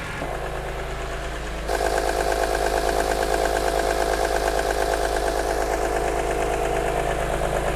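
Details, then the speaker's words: After the first start following S54 rod bearings, full VANOS overhaul, gaskets/seals and SMG-to-6-speed conversion on an E46 M3 idle for a month, a steady, even, quiet idle with no missing beats; previously made engine and VANOS noises. "it sounds so much better i'm not sure if you guys remember when we at first brought it into the shop it was making all kinds of engine noises vanos noises pulling noises"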